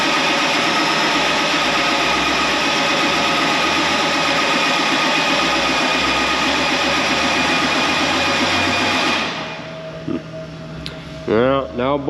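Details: Tractor 8320 diesel with a freshly rebuilt engine: the starter drags the engine over in even pulses about four a second but it never catches; the injection pump is out of time.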